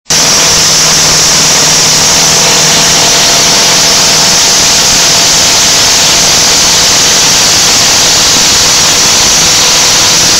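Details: Land Rover Defender 200 TDI diesel, first start after a year-long rebuild, runs away on its own engine oil, screaming flat out at a steady, piercing pitch.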